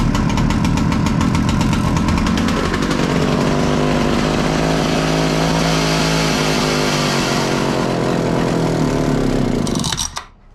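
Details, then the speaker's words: Husqvarna 65 chainsaw, about 60 years old, first start on clean fuel after draining old fluids, pull starter still faulty: fires and holds a steady, even two-stroke buzz for about ten seconds, then cuts out cleanly. Normal running. "Let’s keep moving on- it’s time for a startup attempt with clean fuel I just hope it’s enough cord to get it spinning Ohh - it wants to go"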